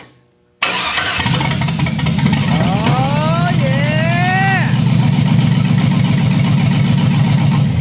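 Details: 1963 Chevy II Nova, 5.3 V8 and 4L60E swap, first start-up: cranks, catches and settles into an uneven, loping idle with a stumble in the beat; the misfire came from cylinder #7 plug wire left disconnected.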